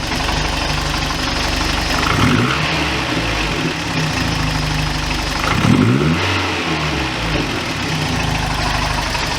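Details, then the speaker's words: 1987 Toyota Pickup, 22R-TE turbo, two sharp throttle blips bringing a hard diesel-like clatter over idle that fades as revs drop; knocking under throttle, cause unknown. "decent little exhaust note but it when you give it some throttle it has that uh I don't know what to call like it almost sounds like it's a diesel almost like that That Knocking knocking sound"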